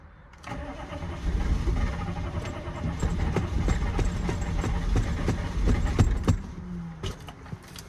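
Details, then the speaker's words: 2000 Chevy C3500 6.5 turbo diesel that shut down while being power washed: even starter cranking about three and a half beats a second, never catches; wait-to-start light flashes, glow plug relay suspected, passlock suspected, not confirmed. "Tried to start It's trying to start. Maybe we jump the glow plug relay and see if it'll start it."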